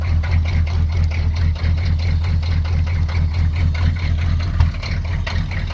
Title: Rusty &Trusty 6.2 Diesel cold start and rough idle